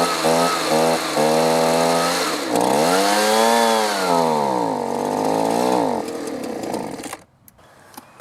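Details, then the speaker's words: Two-stroke leaf blower after replacing brown, off-smelling old gas with fresh two-cycle mixed fuel: it runs a little better but the revs still rise and sag unevenly. Still rough; the fuel filter is then found missing. "it's running a little better"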